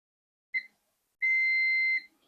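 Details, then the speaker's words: Kaonmedia HDREC VM9130 satellite decoder that restarts and loses audio: burnt 10 µF capacitor on multimeter continuity, a short chirp then steady high beep near one second; capacitor shorted. "Este es el que se dañó. Se escucha que está en corte."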